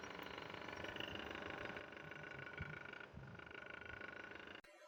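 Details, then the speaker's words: Voltas split AC indoor unit: loud uneven clatter over the fan's steady rush, like something striking; cover and drain tray removed revealed broken blower wheel hub joint, blower replaced; blower wheel rattle. "इसीलिए पूरा cover खोल लिया। Drain tray खोल लिया और यह देखिए क्या प्रॉब्लम है जिसके कारण ये आवाज आ रहा है। यह ब्लोअर का जॉइंट टूट चुका है।"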